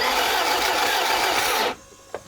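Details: BMW E30 barn find, off the road 15 years and last started 10 years ago. All four stuck-closed injectors were replaced and the fuel primed. A steady, fast starter whir under two seconds with no firing: normal cranking.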